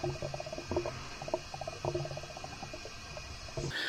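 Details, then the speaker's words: 1981 Jeep CJ7, 4.2L 248 inline six, during a leak-down test; quiet irregular gurgles and small pops through the coolant system; owner suspects head gasket leak or cracked head, as the coolant system builds excessive pressure, unconfirmed. "but you kind of want to listen here and see if there's any bubbles coming through your coolant system"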